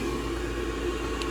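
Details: Furnace inducer motor that had failed to spin, after oiling its bearings, powered through the multimeter's 10A jumper: an even, steady hum with no crunch or scraping at constant speed, running smooth and healthy.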